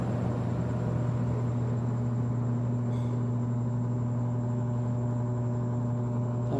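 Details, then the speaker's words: Arno 40 cm table fan, dirty, running very slowly: a steady low hum and rough fluttering drone, struggling to turn; the blade seems loose with play. "esquisito viu o bicho parece que a hélice dele tá meio frouxa tá com uma folga"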